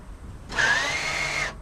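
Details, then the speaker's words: Range Rover Sport electric parking brake after repair of the left rear fault: about one second of strong, even motor whir, slight pitch rise as it takes up torque, now much louder than before; actuator visibly moving and working properly. "Yep. Oh, definitely. You can hear it now, alright. So, it certainly wasn't moving like that last time."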